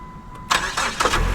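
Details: 2008 PT Cruiser won at a Copart salvage auction, jump-started with a jump pack on the lot after a dead battery; starter cranks in a few quick bursts, then it catches and settles into an even idle: starts cleanly.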